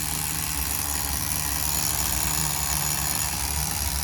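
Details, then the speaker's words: Tamiya TGS-R nitro RC car on its second tank of run-in, carb at factory settings from the instructions: steady, buzzy high-pitched idle with an even beat that never hunts or stumbles; normal idle. "Freaking Idol King, baby. Listen to that baby go."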